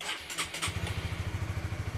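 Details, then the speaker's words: Honda CB150R motorcycle after fitting a capacitive touch-sensor anti-theft module: a brief starter burst, quick catch and steady, even normal idle; another touch of the sensor kills the engine. "Oke, motor nyala dengan sempurna, dan jika ini ditekan kembali 1 kali, maka motor bisa mati secara mendadak ya."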